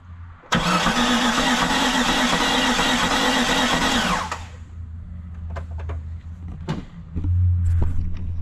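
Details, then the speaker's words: 1999 Jeep Cherokee XJ, long-sitting, first crank: the starter spins the engine freely, not locked and no rod knock, but the beat is uneven and it never fires; owner suspects compression on only four of six cylinders. "okay that's interesting that's spinning really nice it sounds like it's got compression on like four out of six cylinders"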